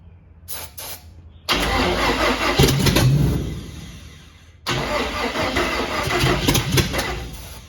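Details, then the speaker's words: Cab-over van conversion, carburetor opened off camera: two long cranking bursts with a rough, uneven churn that sags as the battery weakens. It never fires and is not pumping fuel yet. A clogged fuel filter is suspected, and the battery needs charging. Crank, no start. "we ran it long enough to get any pressure going um but I don't know if I'm getting fuel yet so I got to get this battery charged up"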